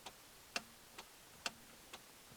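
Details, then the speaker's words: Chevy Impala stuck in park, after reconnecting the shift interlock solenoid wiring: crisp ticks about twice a second, alternating louder and softer, as the brake pedal is pressed; solenoid clicking normally, fixed. "the solenoid that was supposed to that's the solenoid clicking it's fixed"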